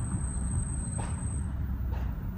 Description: Every 3-4k miles our range rover brakes start to squeal like this, then we need to have the pads & rotors replaced.